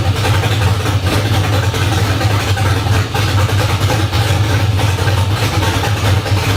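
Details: LS1 V8 swapped into a 240SX, first start, open headers, new fuel filter: loud deep choppy idle with steady cam lope, running evenly without misses.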